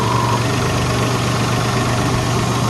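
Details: 2003 Jeep Liberty idling after alternator replacement, battery light off and charging at 13.9 volts; steady, even idle with smooth low hum, no ticks, knocks or whine; engine and charging sound normal.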